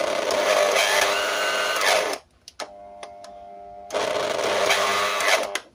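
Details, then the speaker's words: Bolde Super Mix Turbo hand mixer, dirty and greasy, run on 220 V before teardown: harsh, gritty, uneven whir in two bursts; burnt armature, worn brushes and worn gearbox. "Dari suaranya tuh kayak spool yang rusak, yang merah ini. Tapi nggak tahu lah ya, karena untuk membuktikannya kita harus bongkar dulu."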